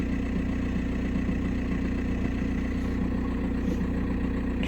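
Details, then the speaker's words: 2006 VW Passat B6 1.9 PD TDI, 318,000 km, which owner says starts only in first gear: steady, even idle with a smooth low thrum, no knocks or misses; engine runs smoothly, check engine light on. "едем мотору все ровно мотор работает ровно уверенно горит чек"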